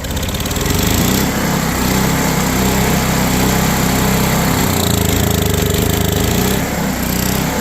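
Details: Old Powermate PM900 generator (Kawasaki/Coleman tags), left outside ten years, revived in cold weather after an oil change: small single-cylinder engine holds a steady, even buzzing run, no misses or knocks; normal running.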